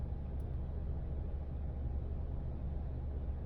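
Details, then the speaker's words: After idle air volume relearn procedure (previously idle dropped to about 500 rpm): low steady idle rumble settling around 750 rpm after throttle blips, no dips, misses or hunting; normal idle. "this thing should settle out about 750 or so now for me that's good my idle was dropping down to like 500"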